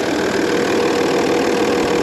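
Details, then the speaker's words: 2002 Audi A6 Avant Quattro 2.5 TDI V6 diesel after a rough start on a recharged battery; steady, coarse tractor-like diesel clatter at idle, no knocks, ticks or squeals; normal diesel idle. "I mean, there's no kind of funny noises. I mean, these old diesels do sound more tractor-like than their modern counterparts, but"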